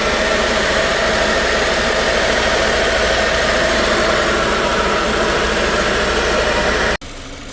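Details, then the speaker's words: 2018 Subaru Forester 2.0 turbo with code P0304, idling unevenly with a lumpy beat as cylinder 4 misfires, still failing after spark plug work; engine also blowing heavy white smoke. "tenemos todavía el cilindro 4 fallando ya se fue vo ver borrar ah cómo sale de humo También acá enfrente"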